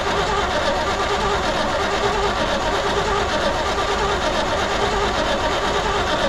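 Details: 1972 C20 pickup stored over 20 years, cranked on lawnmower gas with choke: starter grinds steadily about one beat per second without catching; cranks but won't start, owner suspects lifters bled down causing lost compression.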